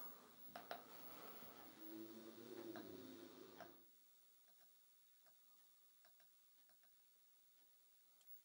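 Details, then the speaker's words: Nanao MS9-29S-E arcade monitor chassis with Toshiba 29" CRT after capacitor replacement and trace repair, at switch-on: harsh sizzling hiss about four seconds then faint ticks; source unknown, B+ reads 75.1 V versus 76 V expected. "okay well we get a picture do get some horrible noises it's like a hissing noise like deal is"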